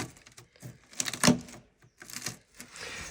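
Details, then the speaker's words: Range Rover Classic 2-door Suffix A under restoration: dry crackling and crunching as the body panel is prodded, brittle flakes breaking away; the metal is corroded through. "so this is the bit that i wasn't expecting but then again it's not really a hard bit so it looks like this is basically made out of peanut butter as you can hear"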